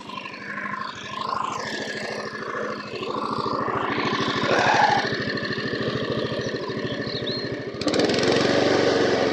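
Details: Honda HR173 mower sent in as a non-runner, started with fresh fuel; air filter old and deteriorated: even single-cylinder putter about three beats a second, steady with no stumbling or hunting; normal healthy running.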